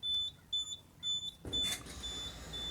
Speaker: Okay, you can hear the compressor starting, and that beeping is the over temperature alarm because the freezer is at room temperature.